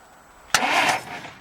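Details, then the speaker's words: 1950 Dodge not started in 40 years, testing the starter through the original solenoid via a starter button, timing set statically near zero: a sharp click, then about half a second of starter whirr that fades out cleanly. Normal cranking. "so for the purposes of what we're doing here I'm just gonna go live there test the starter"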